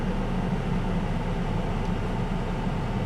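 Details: 1998 Chevy S10 4.3 Vortec V6, warm idle after intake gasket replacement and about two gallons of coolant added, burning-antifreeze smell gone; smooth steady low rumble, even hum, no misses, ticks or knocks; healthy warm idle.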